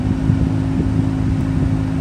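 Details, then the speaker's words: 2018 Ford Fusion 2.0 with weak vent airflow, after replacing the clogged cabin air filter, blower at full speed: strong even rush of air with steady fan hum, no flutter or rattle; airflow now strong on both sides. "since it was clogged so there's not enough air coming out of the vent but now it's very strong on both side"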